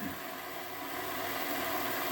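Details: Hornby Class 57 diesel model loco, previously dead, repaired and on rolling road test bed at about 11 V, motor drawing just below 0.1 A; steady even hum with light high whir, no knocks; runs smoothly.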